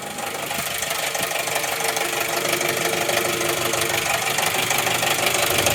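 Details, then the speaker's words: Jeep TJ four-cylinder engine: sharp, regular ticking knock about three per second over a rough idle. Hard to locate; the bottom end is suspected but not confirmed. Engine knock at idle. "yeah there's that noise hard to tell where it's coming from do you think it sounds from the top or the bottom yeah maybe it is the bottom"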